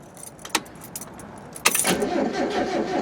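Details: 1993 Mazda Miata, manual, before repair: after a key jingle the starter spins the engine at an even rhythm but it never catches, even with jump cables. Crank no start from a failed fuel pump, fixed by replacing the pump and fuel filter.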